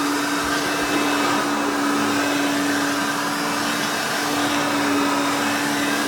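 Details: Vintage 1991 Hoover Elite 5.0 Limited Edition U4601-900 upright vacuum running: loud, screaming steady motor whine with even pitch, no rattle or surging; strong and healthy, with a fairly new brush roll.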